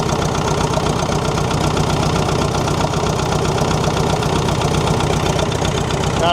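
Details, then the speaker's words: David Brown tractor, diesel, first start after sitting 10 years outdoors, low battery: old diesel idles with a regular, even chug at steady speed, no knocks or misses, running cleanly as if turned off yesterday; normal idle. "Have a listen to that. Like she was turned off yesterday."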